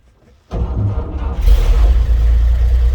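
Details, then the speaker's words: 1954 GMC 250 pickup, 248 inline six single carb, 4-speed manual, floor starter: short starter whir, catches at once and settles into smooth, even low idle; normal easy start. "Starts easily. Smooth running vehicle."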